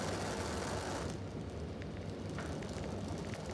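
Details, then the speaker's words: Oxy-acetylene torch with a rebuilt oxygen regulator, neutral flame with a nice cone while gas welding: a soft, steady rushing hiss, not too loud, with no popping or roar; properly set flame. "not too loud just kind of quiet neutral nice cone on it"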